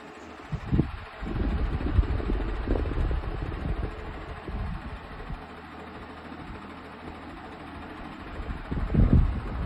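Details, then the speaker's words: Comfort Zone 9-inch high-velocity cradle fan (3-speed, aluminum blades), bought for bedtime white noise: steady whooshing roar with a low rumble beneath, far louder than a "quiet" fan should be; excessive fan noise. Motor reportedly gets very hot and stopped working. "Does that sound quiet to you? Not me. I don't know what they call a quiet zone. It should be called mooy. Noisy zone."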